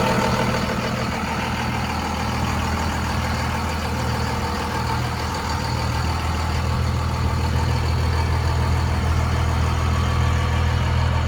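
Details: 2001 Dodge Ram 2500 4x4 with 5.9 Cummins diesel, 6-speed manual, 81,000 miles, fully serviced: deep, steady diesel clatter at idle, about two and a half beats a second, even and smooth throughout; healthy idle.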